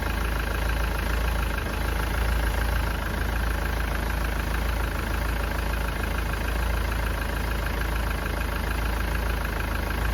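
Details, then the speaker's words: Engine idling while still warming up during a head gasket test that checks for exhaust gases in the coolant. A steady low idle with an uneven, lumpy beat; running rough, cause unconfirmed. "You may need to leave the engine running for 5 to 10 minutes to get up to temperature. But you can hear the engine's not running right."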